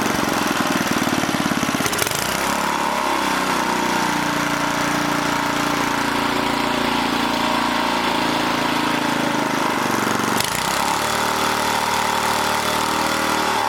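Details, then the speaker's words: 1980 rototiller, single-cylinder: putter keeps surging and sagging every few seconds instead of holding steady; the governor or throttle is hunting, suspected creeping throttle control cable that tightening did not cure. Cause not confirmed. "because i had it real close and then all of a sudden it started going crazy again"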